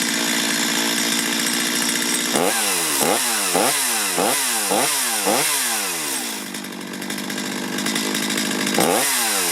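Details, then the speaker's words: Chainsaw warmed up after carburetor tuning (low side and idle adjusted, high side untouched): crisp two-stroke buzz picks up cleanly on quick throttle blips and returns to a steady idle. Normal running. "That's perfect. That's how easy it is to adjust a chainsaw carburetor."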